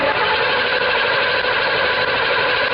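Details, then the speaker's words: 2006 Hyundai Sonata no-start, battery 12.3 V, spark jumping about 3/4 inch: steady, even starter cranking with no uneven beats, cylinders sound like they have compression, no sign of jumped timing (timing not checked). Normal cranking with even compression. "we don't hear it sitting here acting like some of the cylinders don't have compression and all that like we would if it had jump time and that kind of stuff so we got a good nice solid spinning sounding engine"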